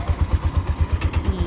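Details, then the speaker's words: Bajaj BS4 motorcycle engine after rebuild, idling: low thumping at about eight beats a second with slight stumble, revs rising and falling; worn carburetor needs replacing and kit service, so idle isn't smooth. "ಇಲ್ಲಿ ನೋಡಿ, ಹಂಗೆ rice ಆಗಿಬಿಡುತ್ತೆ, ಹಂಗೆ slow ಆಗಿಬಿಡುತ್ತೆ. ಹಿಂಗೆ ಹೊಡೆದು ಬಿಟ್ಟರೆ slow ಆಗುತ್ತೆ. ಕಾರ್ಬೇಟ್ರು ಪ್ರಾಬ್ಲಮ್ ಇದೆ, ಮತ್ತು ಕಿಟ್ಟೊಂದು ಸರ್ವಿಸ್ ಮಾಡಬೇಕಿದು."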